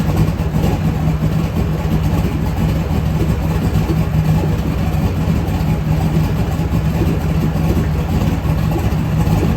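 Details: LS V8 engine on a home-built run stand, fire-up before truck install: deep steady burble at even idle, no knocks, ticks or misses; runs healthy.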